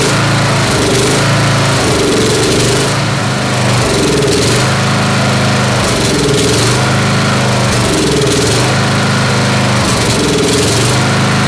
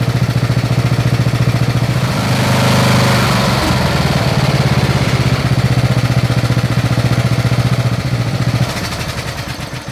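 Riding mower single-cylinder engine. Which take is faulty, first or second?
first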